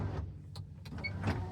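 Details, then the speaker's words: 1998 Nissan Elgrand E50, 3.3 L V6 gas, about 10,500 miles in a year of ownership: short, light motor whirrs as the rear window slides and tilts, no grinding or straining; normal power window operation. "And everything does work."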